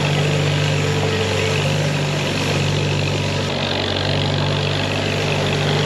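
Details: 1939 Farmall H tractor four-cylinder engine after a tune-up for a miss, with ignition timing reset at the impulse coupling: steady, even beat with a low hum, no misses or stumbles; now running cleanly.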